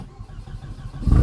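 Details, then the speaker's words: 2002 Audi A4 B6 turbo after used turbo install and coolant refill/bleed: brief cranking, clean catch, even cold-start idle with no misfire; smoke is spilled oil burning off. "When cold start finishes, I'll come back."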